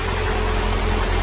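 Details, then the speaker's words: 2000 Honda Civic Si clone with freshly installed B16A3 and freshly done transmission, stiffer torque mounts: steady, even low idle with no knocks, stumbles or hunting; running smoothly. "We're just idling away now. Everything's smooth."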